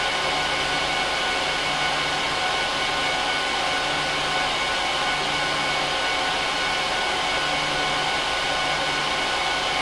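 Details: HP ProLiant DL380p Gen8 server (24×4GB DIMMs, eight 300GB 10,000 rpm drives in RAID 5, both PSUs connected, no cards) during POST/boot: steady loud rushing whoosh with even fan hum, no wavering; fans at full speed, normal, quieter once idle.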